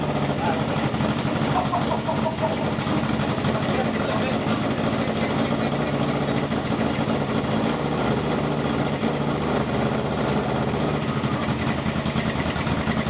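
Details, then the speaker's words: 1978 cafe scrambler on first start after rewiring: fast, even ticking over a rough revving engine, with popping from a leaking exhaust. The ticking seems to come from inside the engine's top end, not the exhaust; cause unconfirmed. "it sounds the same as when it's running before and it's just the farting from the exhaust it's leaking the ticking that we're worried about"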